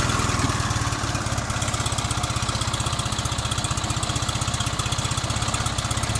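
>Small twin putters along with steady, evenly spaced firing pulses, about four per second, and no knocks or misses: a healthy engine.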